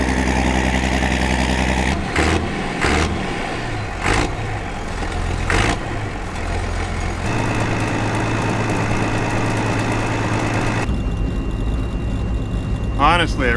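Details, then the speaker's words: Massey Ferguson 860 combine, Perkins 354 six-cylinder turbo diesel, first run after six years once primed: loud deep rumble settling into steady even run after handling noise, no knocking or missing; normal healthy running. "really hate these combines for multiple multiple reasons but man they sound good I love that Perkins Perkins power"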